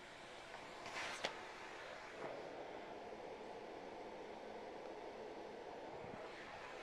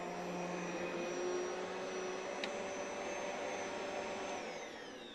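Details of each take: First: Bosch vacuum running; soft, even airy whoosh with no rattle or whine, just light handling clicks, a very quiet machine. Normal vacuum running. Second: Vacuum with carbon motor brushes worn to about half an inch of an original inch and bearings already re-greased: a steady loud roar with a high, thin whine from the worn motor.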